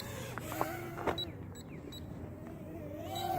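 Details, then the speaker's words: Holy Stone Bolt Bee drone in flight: short high beeps about every half second over rotor hum. This is the controller's low-voltage battery warning at about 3 minutes of flight; pushing through it gives about 5 minutes. "So yeah, so if I push it, I'm getting about 3 minutes of flight time out of it before the controller starts beeping."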